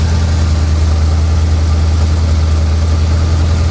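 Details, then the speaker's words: Engine idling after fixing a very bad header leak (all header bolts loose, gasket said bad); sounded bad before: now smooth steady low hum with even beat, no ticks, no knocks, no exhaust puffing; normal idle. "So this sounding like crap before with the engine runs smooth, perfect, no ticks, no knocks, nothing."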